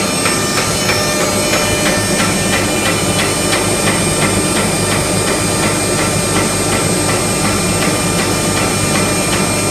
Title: HSS noise problem (cavitation?)